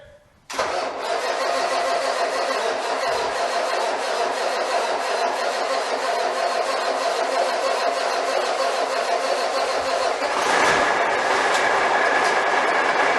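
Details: Cummins 855 Big Cam IV NTC 350 diesel, first cold start after an in-frame overhaul: long, even crank with no knocking while fuel reaches the injectors, then catches and settles into a steady idle; normal start after extended cranking.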